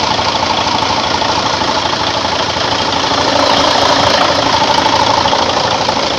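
Steady, even diesel idle with a smooth, regular beat and no odd knocks or rattles; engine sounds healthy.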